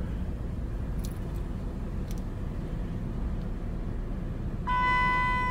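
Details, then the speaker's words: 2004 Dodge Durango at a steady, even petrol idle with a low hum after the bad fuel was drained from the tank; it now runs much better than its earlier rough running. Normal idle. "I want to start this puppy up one more time though and now it's running a lot better"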